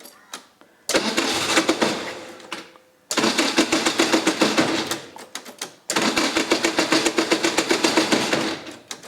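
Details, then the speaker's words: 1981 Royale RP30 Formula Ford race car, no choke, carb throttled a few times by hand, started via external power port: three bursts of fast even cranking about four beats a second, no firing; cranks but does not start. "it doesn't start."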